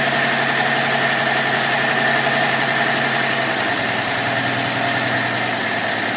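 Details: 1966 Dodge Dart 225 slant six after fixing the new Autolite-style single-barrel carburettor's fuel inlet plumbing: smooth, steady idle, slightly low, no tapping or stumble; thought a bit better than the old Holley 1920, maybe missing a little. Normal idle.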